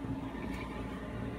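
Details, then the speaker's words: Cheap eBay 12V 5kW diesel air heater on a bench test, just switched off with the power button: quiet, steady fan whir with a soft hum and no combustion roar as it purges; normal shutdown cycle. "going through some process to shut off like a computer I guess"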